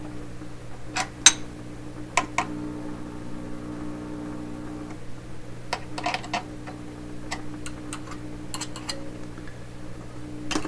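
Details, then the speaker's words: 1928 RCA Victor Model 28V radio after rewiring fixes: steady low hum under irregular crackles and pops, output cutting out and returning; noisy, unstable reception, fault not yet traced. "How come it just went quiet suddenly? It's gone. It's coming and going. Something a little unsteady."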